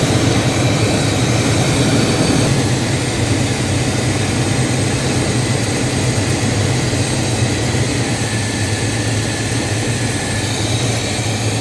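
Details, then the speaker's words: Square-body shortbox truck's carbureted V8 after ignition timing and carb idle adjustment back to about 17: even, steady idle with a smooth low rumble, no misses or hunting; settled and healthy. "Okay, so now that we've got the idle more where we want it, then we can continue tuning this."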